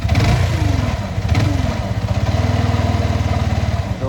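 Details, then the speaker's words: Motorcycle after a river crossing: fine at normal running, but under acceleration a fast, even knock rides on the low exhaust beat and rises with revs, possibly bottom end; cause unknown. "நார்மலா இருக்குறப்ப ஒன்னும் பிரச்சனை இல்ல அதே accelerator கொடுத்தா அந்த சத்தம் வந்து ரொம்ப டிஸ்டர்ப் பண்ணுது"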